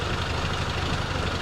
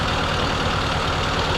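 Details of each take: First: 1952 M38A1 Jeep after carburetor rebuild, ignition timing adjusted by rotating the distributor: low, uneven idle that stumbles and sputters, rough idle from incorrect timing, distributor to be turned back the other way. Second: 1952 Willys M38A1 Jeep after rebuilt carburetor install, idle being set by turning the distributor while aiming for about 700 rpm: even, low steady chug with no knocks or skips, normal idle.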